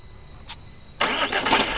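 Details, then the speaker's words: Jeep Compass heard from outside during starting: a harsh metallic rasp right at the end of cranking as the engine catches. The noise comes mainly from the flywheel, which is to be modified. "ये देखो जी ये sound आता है। ठीक है? तो, यह जो साउंड आता है, यह आता है मेनली फ्लाई व्हील से।"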